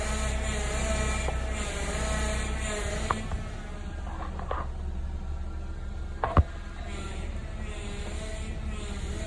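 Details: Honda Civic engine idling with a severe, rough, pulsing grinding whine from the power steering, rising and falling in waves.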